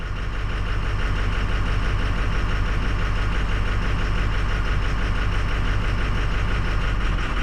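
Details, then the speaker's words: 2006 Ford 6.0 Powerstroke diesel pickup at idle, loping, uneven firing with the engine falling on its face during a cylinder-disable test, needing repeated key cycling to reprime. Combustion gas is suspected entering and aerating the fuel through a stuck-open injector. Rough idle. "we gotta cycle our key numerous times and get our fuel system primed back up again because she's starting to fall on her face"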